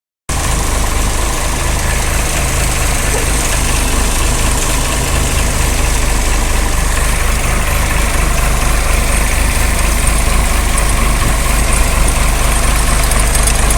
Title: Tata engine problem,